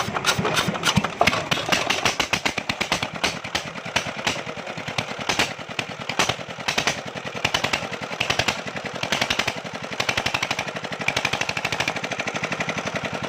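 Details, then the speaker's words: China-made JD 8 hp diesel generator with a starting problem, after refitting the fuel line and the nozzle began working: it starts and runs with sharp, fast, even diesel knocking and little low rumble, firing cleanly and steadily. "जी दोस्तों, ये generator start हो गया है।"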